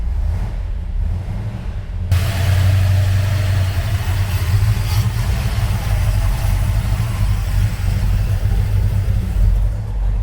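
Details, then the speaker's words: 1970 Dodge Challenger R/T V8 on first start after a carburettor swap to a freshly rebuilt carb, cold and warming up: brief crank, then a steady, even, deep idle with no misses. Normal idle. "sounds better already sounds good okay let's warm it up give it a few minutes and see how it goes"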